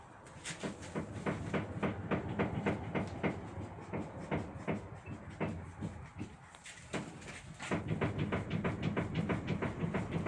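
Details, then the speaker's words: 2005 Mazda 3 1.6 steering rack: sharp hollow knocks about three a second from the rack's centre as the steering wheel is jerked back and forth; cause suspected, not confirmed. "Подскажите, что может быть? Стук с рулевой рейки с середины."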